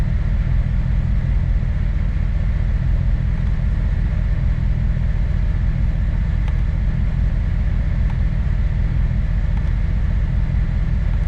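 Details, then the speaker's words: 2008 Chevrolet Corvette C6 LS3 idling low and uneven with an irregular lope and stumble about twice a second; scan-tool tests show injectors 5 and 7 not working, connector clips to be checked. "so five and five and seven are not working injectors five and seven are not working"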